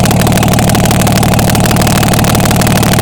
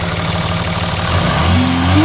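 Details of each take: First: Diesel truck being checked after its turbo failed 12,000 miles after replacement, run with manifold off: steady even clatter at constant idle, regular firing beat, all cylinders firing; sounds healthy. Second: Diesel truck with a turbo replaced 12,000 miles earlier: as revs rise, a rising whine climbs over the engine note; turbo has completely failed, possibly install error or part failure.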